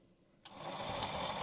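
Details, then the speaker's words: Motor of an EMC lab 360° turntable controller (about 1970, PCB marked 1959) run on the bench at 30 V and 50 mA (about 1.6 W): spins up instantly to a smooth, even whirr, no scraping or ticking; normal motor run. "And look at that. It spins. So, 30 volts and 50 milliamps is 1.6 watts. And it spins real nice and fine."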